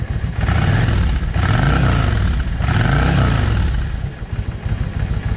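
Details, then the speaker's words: Cold Yamaha V Star 650 V-twin after changing pilot jets from 22.5 to 25: blips up cleanly twice and returns to idle with no stumble or hesitation; normal revving, carburetion healthy. "Y'all hear the difference in that? No hesitation. And that was going from a 22 and a half airfield jet to a 25."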